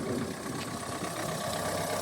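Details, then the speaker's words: Newly bought car, engine fired up and idling; steady, even idle with a smooth settled rhythm and no knocks or misses, described as well looked after and running sweetly. "But it runs really, really sweet. It's been looked after despite its exterior. It's been really well looked after, as I'll show you in a second. So, yeah, the engine sweet as a nut."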